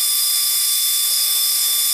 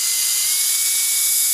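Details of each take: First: 20mm 3D-printed EDF fan with a 0703 brushless outrunner and clipped 3-blade propeller on 2S (about 2.9A, 26g static thrust) at full throttle: a steady high-pitched whine over rushing airflow hiss with no stutter, a normal full-throttle run. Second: 20mm EDF fan, 3D-printed housing, 0703 brushless outrunner, clipped 3-blade prop, 2S, bench test: high thin whine, speed not holding even; motor stuttering under power.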